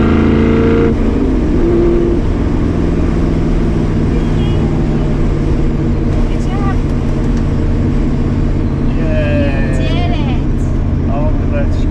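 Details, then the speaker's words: 1965 Ford Mustang 302 V8 on test drive after replacing left driver-side header gasket: steady deep burble, even and smooth, no ticking, popping or backfire; exhaust leak fixed, normal running. "You hear chicken? I don't hear nothing. I think we got her."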